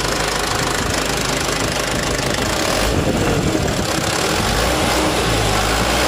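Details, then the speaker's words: Mitsubishi Canter HDL 136 refrigerated box truck diesel after replacing the broken injection pump timer, bearings found unscratched: runs smooth and even with steady rhythm and no knock or rattle; normal running after repair. "Oke sudah ready bosku Ya enternya suaranya masih halus mesin Ada kemungkinan ya masih normal"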